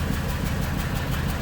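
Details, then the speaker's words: Ford Super Duty service truck (2000s) with low power, plugged catalytic converter removed: open-exhaust idle with a lumpy putt every few beats. Cylinder 4 misfire, confirmed by power balance (slow crank speed). "fix that up now we've got a little bit of exhaust flow coming out there a little putt-putt you can hear it missing now i'll bet cylinder four's done skis"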